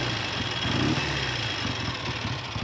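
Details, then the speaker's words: Triumph T90 twin on its first shakedown ride, pulled over while struggling and fuel supply being checked: a fast, light ticking rattle over an uneven idle; top-end rattle, cause not confirmed. "Hear that rattle? That's top end."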